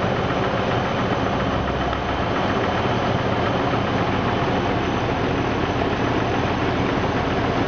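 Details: 2000 Jeep Grand Cherokee Laredo 4.0 I6, warm idle: faint, steady low knock under the drone, absent when really cold, starts after warming; mechanics agree it seems near the bellhousing–oil pan junction; engine knock, source unconfirmed.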